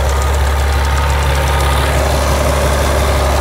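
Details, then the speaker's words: BMW 760Li V12 idling after the high-pressure fuel pump membranes were replaced: a light, fast clacking about three per second. Pump 2 now works, but pump 1 still clacks; swapping the left and right pumps gave the same fault. "et là malheureusement celle-ci elle ne veut rien savoir je ne sais pas pourquoi toujours la même qui claque"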